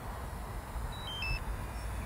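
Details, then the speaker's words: AOS 7 seven-inch quad on INAV 4.0, forced failsafe by switching transmitter off mid-flight: a few short high beeps faint over outdoor rumble from the quad's failsafe beeper; responded within a second or two. "so that's the transmitter off i can hear it beeping up there oh pleased with that that took about a second or two to respond when i turn the transmitter off"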